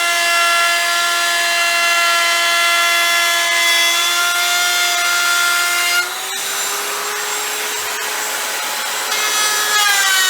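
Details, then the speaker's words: Router with a long bit and the bearing set at template height, shaping an electric guitar body: the high whine drops in pitch as the bit bites, stays low, then winds back up. Bogging from taking too much wood at once. "Okay, you can see how that took a little while to wind down. So if you have a shorter bit, you should use the shorter bit."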